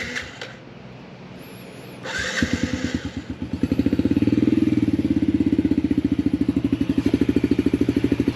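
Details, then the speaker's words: 2019 Yamaha TTR50 after fixing an intermittent cutting-out problem; brief cranking, then single cylinder catches cleanly into even steady putter about three beats a second; normal start and idle. "look at that guys you better yet listen to that here we go problem fixed there now he won't be discouraged when he's riding it because he was getting pretty discouraged"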